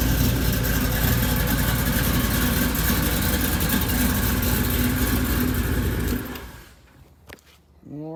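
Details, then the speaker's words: Supercharged Cutlass V8 started after an RNB cam swap, re-gasket and new seals: a deep, even rumble holds steady for about six seconds then shuts off, with no knock or tick, so a normal, healthy idle. "it turned out really good i'm gonna crank it up let y'all hear it run"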